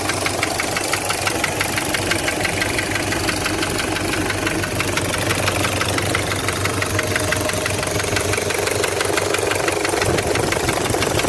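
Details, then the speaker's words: Toyota 1KZ-TE diesel idling: steady, hollow tuk-tuk knock about three a second; on teardown the piston rocks loosely in a scored liner; piston slap. "вот смотрим поршень сейчас просто porsche смотрим то есть у нас тук-тук слышно было хорошо стучит то есть вот здесь вот болтается"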